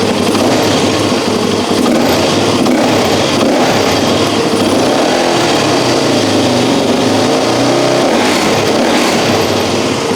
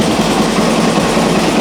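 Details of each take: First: Suzuki DRZ400E single-cylinder, just fitted with a Lectron Billetron Pro carb and still warming up with a slightly slow idle, revs up and down sharply; throttle is much snappier and more responsive, with no stumble. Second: Suzuki DRZ400E single-cylinder just fitted with a Lectron Billetron Pro carb, started cold without choke: steady but slightly slow, lazy idle; owner will warm it up before raising idle.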